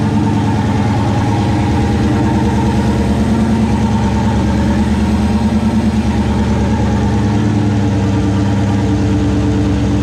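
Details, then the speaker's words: 1969 Plymouth Valiant, stock 360 Magnum V8 with Mopar Performance cam, Proform intake, TF727 transmission, GT45 turbo 5 psi, restarted after intake manifold refit; deep steady idle with even lope, no tapping or misfire; normal idle. "but for now she's back running i guess we can go and fire it up one more time"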